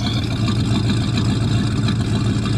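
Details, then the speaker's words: 1973 Buick Regal coupe, abandoned at least 13 years and recently revived, idling in snowy winter conditions: deep, even rumble with no misses, ticks or stumbles; normal idle, running relatively well. "She's running relatively well."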